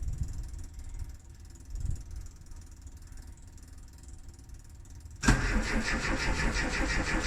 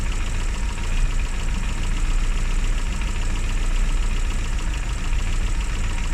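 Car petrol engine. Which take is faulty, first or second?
first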